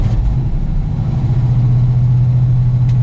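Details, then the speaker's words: Old carbureted Ford grain truck on a cold start, with the carburetor primed by pumping the pedal: a deep, uneven low rumble held just off idle, falling off in rpm; it sags and wants to stall without throttle. "hold the pedal still hold the pedal we're falling off rpm give it a couple of pumps"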